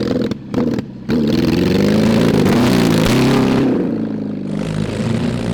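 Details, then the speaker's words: Mid-70s Honda CB750 SOHC engine in a 1980s Suzuki Quad Sport 230, push-started and ridden in first gear, open pipes: revs rise unevenly and sag under throttle, occasionally clearing. Bogging; carburettors not taking fuel properly suspected. "so if i could get the throttle to work like it's supposed to like the carburetors take the fuel yeah and and and just go it seemed like you had one or two kind of clear yeah it it occasionally it would clear out and want to go"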